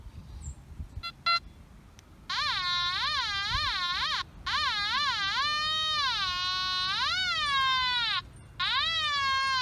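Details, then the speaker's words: Nokta Makro Anfibio metal detector in pinpoint-only mode over a quarter: warbling tone climbs and peaks as the coil centres on the coin, then fades at the edges; pinpointing works normally. "I'm going to pinpoint only at least don't you listen to the pinpointing function I'm going to start with the quarter as well starting here with the quarter"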